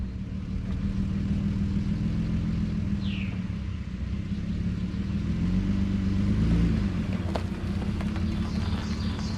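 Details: 2009 Nissan Murano after stick-welding the rusted exhaust, which had snapped in half before the muffler: steady low idle rumble with an even exhaust note and no blowing or ticking leak; much quieter than before.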